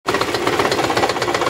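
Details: Petrol engine, idling right after start, with harsh rapid jackhammer-like knocking of about eight hits a second and heavy shaking; caused by an air-fuel ratio fault, fixed by servicing alone without parts.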